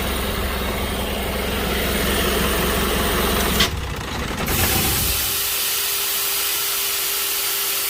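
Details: Diesel that stumbled while driving, scanned for codes: loud clatter with an uneven, stumbling idle beat instead of a steady rhythm; the injectors were found faulty.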